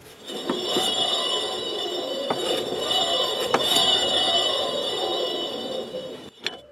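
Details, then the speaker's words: Husqvarna YTH150 lawn tractor: loud, harsh metallic ringing over the running cutting deck, from worn, under-greased spindle bearings that had play and rotational resistance and made the blades labour in the grass; owner expects grease to fix them. "Ouais, il y a un bruit métallique qui est pas bon du tout."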